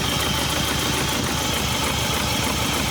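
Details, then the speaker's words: Hyundai Santa Fe diesel, smoking, before repair: lumpy idle about three beats per second, shaking as one cylinder drops out; scanner shows only an EGR fault, runs normally at 2000 rpm, turbo pulling after repair. "дивіться зараз ластівку трусить під'єднав комп'ютер помилка тільки по єгр але коли дві тисячі обертів роблю все Мотор працює нормально"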